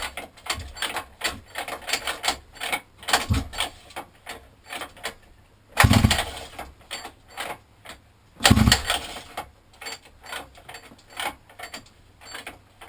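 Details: 50cc mini moto quad left outside a year, new carburettor, air filter and pull start fitted: repeated pull-cord rattles and strong pulls with no firing at all; cranks but won't start, owner questions spark.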